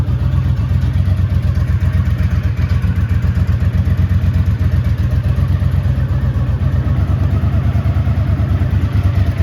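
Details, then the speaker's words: 1983 Honda GL650 Silverwing Interstate, an Ohio barn find after a total restoration, idling after a cold start: even, steady idle with firm regular firing pulses and no knocks, ticks or misses. A tight, healthy engine. "Nice, tight, rock solid engine. Plenty of power, doesn't leak or drop anything."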